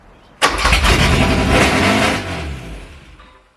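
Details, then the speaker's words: Classic Porsche 924 at first start in over 30 years, cranked at partial throttle: catches with a rough, uneven roar for two seconds, then sags and dies; starts then stalls, cause not confirmed. "Yeah, it doesn't want to stay alive. It doesn't want to stay alive, it's run."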